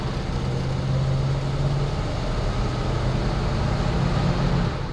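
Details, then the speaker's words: AMC Ambassador just after swapping its bad transmission for a used Chrysler TorqueFlite from a 1974 Ambassador; accelerating through the gears with clean rev drops, firm shift shock and no slipping into third: normal automatic transmission shifts. "we're gonna go through the gears and it really does sound and feel much better check it out"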